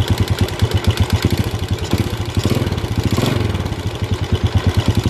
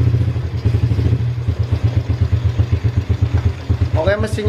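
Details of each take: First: Yamaha Vega ZR (Vega RR) small single-cylinder motorcycle idling with throttle blips: rough, rapid clattery beat rising and falling with revs; mechanic suspects worn cam chain rattle, to be confirmed by opening the timing cover; cam chain replacement. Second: Yamaha Vega ZR after replacing the cam chain (kamrat) for a rough-engine complaint: even, steady low idle thump, clean regular beat, no ticking or chain rattle; smooth like a new engine, normal idle.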